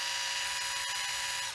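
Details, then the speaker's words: Inexpensive Black & Decker Li2000 cordless screwdriver with plastic gears, after cleaning and greasing the gearbox; short, steady high whir, even tone, no rattle or grinding, much better than before; normal running. "that sounds much better sounded really really cheap before that really sounds like crap not actually actually sounds a lot better"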